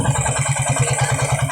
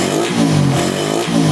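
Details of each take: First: Suzuki Raider 150 single-cylinder motorcycle after carburetor repair for misfiring, stalling and backfire: steady, even low-thump idle with no pops or misses. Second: Suzuki Raider 150 carbureted single-cylinder bike that was dying, misfiring and backfiring: after setting idle mixture, idle is stable but blipping the throttle gives a slight stutter, a mild lean misfire.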